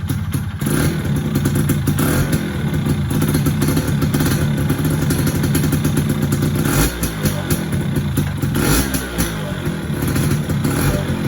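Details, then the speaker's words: F1ZR 110 two-stroke after fitting a ported cylinder block, standard exhaust; steady fast-idle buzz dipping and picking up with throttle blips, revving freely with no knock or rattle; feels quicker and sounds fuller than stock. "kalau udah di kesana sih berasa juga kebalik balik itu lebih cepet sama suaranya serasa lebih apa ya lebih keluarlah walaupun lapo standar"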